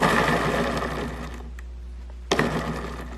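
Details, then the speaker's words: Scrap skateboard wheel on a homemade machine, hand-spun and still warm after 3 minutes of running: dry uneven rattle and rumble fading as it slows, bearings heard bouncing inside, unlike a silent good wheel; worn wheel bearing. "you can kind of hear the bearings turning inside the wheel. So I think sooner or later this one is probably gonna go, and I have to take another wheel off of my skateboard and put it there instead."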